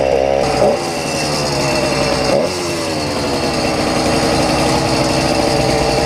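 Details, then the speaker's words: YD100 two-stroke bike engine with carburetor at its leanest setting and idle screw turned out: busy buzz holding steady, even beat without stumbling; idles on its own, normal idle. "we put it at the leanest setting that the carburetor has i was now able to take the idle and turn it out it's idling on its own"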